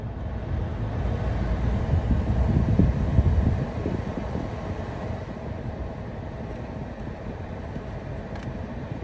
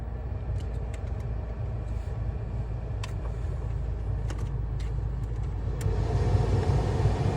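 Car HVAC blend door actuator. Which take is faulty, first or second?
first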